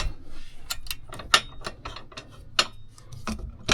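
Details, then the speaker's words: Tesla Model Y Juniper aftermarket tow hitch, bike rack pinned in receiver before tightening anti-rattle nut, irregular sharp metallic clacks as rack is rocked; loose shank rattling, eliminated after tightening. "And you can see how beaten up the bike rack is from all the rattling it's done on all my previous cars. So there we go, locking it in, and here you can hear the rattle."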